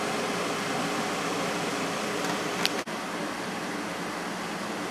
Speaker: When I first started this up when I got it, I thought it was really loud, but when it's in the window it's a lot quieter.